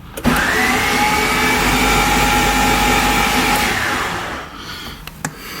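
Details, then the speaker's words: EF Honda Civic hatch that sat about two years with its gas tank drained, with the battery just hooked up: steady high starter whir for about three seconds with no compression pulses. A broken timing belt or bad starter is suspected. "that is an odd sound hmm could be a broken timing belt it could be a bad starter"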